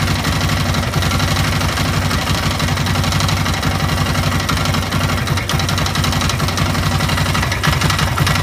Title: Стук двигателя 2 Yamaha Raptor YFM 660R